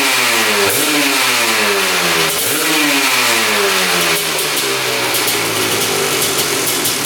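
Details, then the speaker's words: Honda TRX250R two-stroke with a 310cc ESR big-bore top end in a TRX450R frame: crisp revs twice, then drops straight back to a steady idle with no hang, so no air leak. Running well; a coolant leak near the head was noticed. "comes right back down to idle. So, no air leak. [Music] I'd say it's running pretty good."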